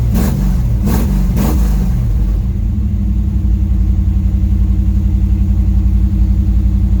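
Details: Dodge 318 V8, budget rebuild, reinstalled after a broken flex plate was replaced and cam and lifters inspected; oil pressure 60 psi, temperature 175–180°F: a few quick throttle blips, then a deep, even idle with a steady lope; healthy.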